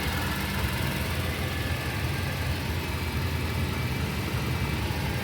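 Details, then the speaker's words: 1992 Toyota Previa 2TZ-FE 5-speed manual, first start after cylinder head replacement, coolant not yet bled: steady, even low idle rumble with no knocks, ticks or hunting; zero engine shake, running healthy. "All right, that's an initial start. Very successful."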